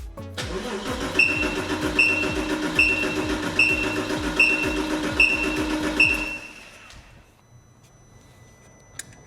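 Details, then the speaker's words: Porsche 986 Boxster S, about 48,000 miles, barn-stored 3.5 years, gauge on the fuel rail expecting 3–3.5 bar: even cranking for about six seconds with steady compression beats but no firing; zero fuel pressure, pump not delivering. "Nothing at all. Okay, we'll uh just double check everything. It did smell like we had fuel out the back, but maybe that was just old old fuel that was in the rail and the pump's not making anything any pressure."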